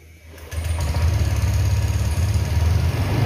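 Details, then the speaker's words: Older Honda Vario 150 PGM-FI scooter at start-up: catches into an uneven, lumpy, limping idle with irregular beats, dies on sudden throttle but fine at high rpm; misfire. "nah ini dari suara itu aja sudah kelihatan kalau ada beberapanya yaitu tidak bisa langsung jadi pincang ini"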